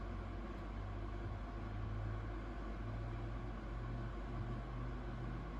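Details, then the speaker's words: AMD Wraith Prism stock cooler on Ryzen 3 3100 overclocked to 4.2 GHz, Cinebench R20 full load around 70°C, mic about 4 inches from closed tempered-glass case: steady loud whoosh with constant hum, no rattle; cooler fan loud under load. "You guys can hear fan is really loud, and I'm running Cinebench R20, and the load temps is around 70 Celsius, and I do have the CPU overclocked to 4.2 gigahertz, as you guys can see."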